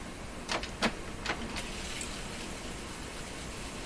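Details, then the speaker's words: Sony TC 530 reel-to-reel tape deck after fast forward issue fixed: a few light clunks as transport engages, then steady soft whirr of tape rewinding; rewind and brakes work normally. "the brakes work perfect again"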